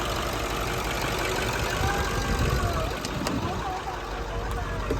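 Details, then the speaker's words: 1995 International school bus diesel, started with a little starting fluid: deep steady rumble settling into an even idle over outdoor background noise; engine now starts and runs. "Oh my god. It's all we needed. Little starting fluid."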